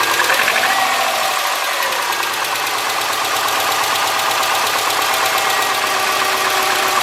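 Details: 2003 Subaru Forester, 178k miles, ~150 miles after head repair for a dropped valve guide, cold start: light ticking about three per second over steady idle; driver-side front exhaust valve clearance .029 instead of about .010, adjusting fixed it.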